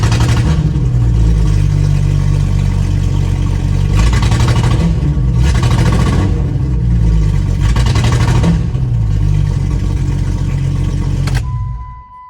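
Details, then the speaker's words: 1996 Jeep Grand Cherokee ZJ six-cylinder after new injectors, following earlier new plugs and wires: uneven running, beat stumbling and breaking up every few seconds; still misfiring, cause unknown, distributor cap next suspect. "All right, that did not fix it."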